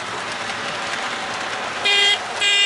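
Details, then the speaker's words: Lionel Alco FA toy locomotive after wiring repair, motor cleaned, relubed and shimmed, horn now fixed: smooth high-pitched motor whir, then two short horn toots; runs evenly and fast. "But, oh, I also got the horn working, so that's kind of cool. Here we go. Let's fire it up. She runs really good now. Speedy, too."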